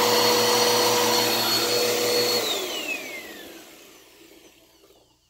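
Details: Repaired "baby blue" classic vacuum, said to work perfectly: a steady, even motor whine with a clean fan note, then a smooth falling pitch at switch-off and spin-down. Healthy.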